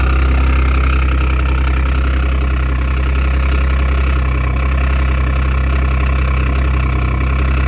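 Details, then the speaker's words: 2014 Audi S5 APR Stage 2, resonator delete, about 131,714 miles, replacement engine; cold start with a loud, deep idle and a fast tick riding over it, an exhaust manifold leak between manifold and head that quiets once warm. "This has an exhaust manifold leak between the exhaust manifold and the head. Whenever I go to start it, will be a little noisy, but I want you to hear exactly what it sounds like. And then it's going to clear up."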